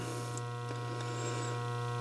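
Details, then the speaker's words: Pinball lock relay with a new coil, energized, armature moved slightly. A steady low mains hum with a thin buzzy edge remains because the armature isn't seating fully against the coil core. It is quieter, but not gone completely. "doesn't get rid of it and it's not going to get rid of it completely I mean if you listen close but that's what you should have to do listen close to be able to hear it"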